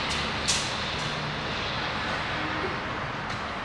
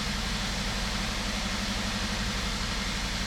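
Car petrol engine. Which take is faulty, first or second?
first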